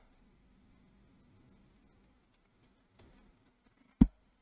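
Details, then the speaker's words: Mid-2014 13-inch MacBook Pro A1502 (EMC 2875) after dust cleaning with compressed air: barely audible low fan hum, no longer grinding as before, then a couple of sharp handling clicks. "So I can still hear it, but it's not grinding like it was. I just hear it going very, very ligh"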